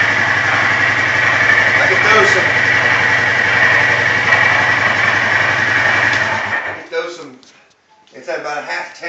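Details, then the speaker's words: 2008 Polaris 400 Sportsman HO 4WD ATV, under 100 miles: sharp, regular knock of about four per second at idle that stops under acceleration and comes and goes; bad gas doubted, cause undetermined. "Bad gas? Maybe. I ain't never heard gas make bad gas. I mean, that is just a pure knocking sound."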